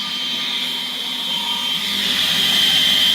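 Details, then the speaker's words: Axminster Craft AC216TS 216mm table saw, induction motor running with the extractor connected to show noise level: smooth, steady high whir, even pitch, no knocks or rattles; quiet, normal running. "don't know whether you can actually hear that or not which is a good thing really quiet induction motors they are quiet"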